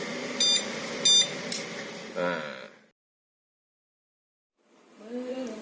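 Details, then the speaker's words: Xian Ke Zhi pure sine wave inverter on a weak, worn used battery at about 11.2 V, switching on a 36 W AC lamp: quick pair of sharp high beeps as the low-voltage alarm sounds, yet the lamp still lights. "Langsung di bawah 10,4 ampere. Alarm low voltage-nya bunyi, tapi lampu sih bisa nyala."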